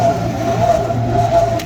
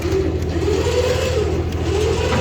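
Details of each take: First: DK2 Warrior Samurai 17,500 lb winch on MAXXD roll-off trailer, after 3 years of daily dumpster loading, reassembled with new gear, battery fully charged: steady motor drone with rough gritty grinding, as if grinding or rubbing on something. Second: DK2 Warrior Samurai 17,500 lb winch on roll-off trailer, three years' heavy use, pulling in an empty dumpster, truck in neutral: even motor drone rising and settling with load over idle, no grinding; normal operation.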